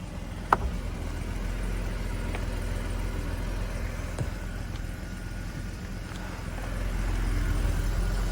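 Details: Mercedes 280SE cold start after sitting since yesterday: fires right up, exhaust burbles at an even low idle with no misfires, knocks or ticking; dash lights on for a minute while warming.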